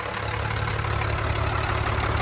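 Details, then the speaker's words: 1995 Mitsubishi Fuso FH100 truck, 5.0L turbo inline-6 diesel, 116,440 miles: steady, even idle with a deep low rumble and no knocks or misses; engine sounds healthy. "Mitsubishi engine. Sounds good."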